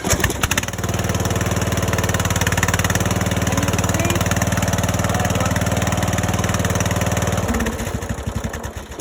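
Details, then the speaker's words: Briggs & Stratton single-cylinder engine just after a valve adjustment, started on a weak battery: it catches right away and holds a quick, even putter for about seven seconds before shutting off, running normally. "and you can see that battery was a little bit weak and it started that motor right up with no problem like it was smooth as a k to the pi"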